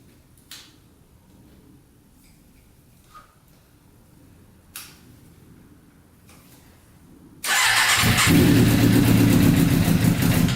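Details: Custom Yamaha Banshee with 600cc sport bike engine swap, not run in a while, no tank fitted, choke on after freeing a leaking carburetor float: engine barks to life, holds a raspy high idle about three seconds, then dies suddenly; fuel starvation.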